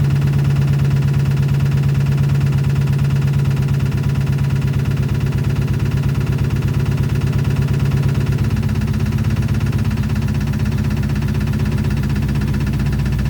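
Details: 2006 Chrysler 300 5.7 Hemi, bought cheap, at first start: loud idle with a heavy regular tap about three per second; owner suspects lifters or rockers and plans to pull the heads, not confirmed.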